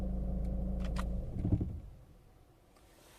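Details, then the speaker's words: 2003 Renault Scenic II 1.5 dCi 60 kW diesel idling, then heavy knock as engine is switched off, with pedal vibration; cause traced to the air intake/airbox beneath the battery. "when I'm about to turn off the engine you'll hear a specific knock noise besides the pedals vibrating and producing this light knocking on your foot you will hear also something like this"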